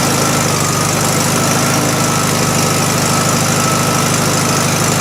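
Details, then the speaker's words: 1971 VW Super Beetle with freshly cleaned carburettor; long uneven churning at about three beats a second never settling into a clean idle; fuel starvation, owner suspects over-tightened idle jet with damaged seat restricting flow. "there, I loosened that idle jet up, and now it's working. I close it, it struggles."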